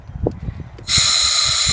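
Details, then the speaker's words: Air compressor regulated at 50 psi feeding a FEBCO 765 pressure vacuum breaker during sprinkler blowout: a sharp steady hiss for about a second as air leaks past the inlet valve, which has not seated. "and now here's what I mean when I talk about helping the um that Inlet helping that inlet valve when I turn this you'll hear air moving"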